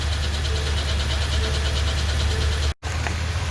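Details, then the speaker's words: 2020 Ford F250 7.3L with a Gen 1 10-speed automatic, in drive with the brake held: a deep drone with a rough metallic rub that stops on the throttle or in park. Transmission pump chain grinding. "as soon as you push the gas the sound goes away but if you got your foot off the gas you're in drive and you got your brake on you're gonna hear this noise"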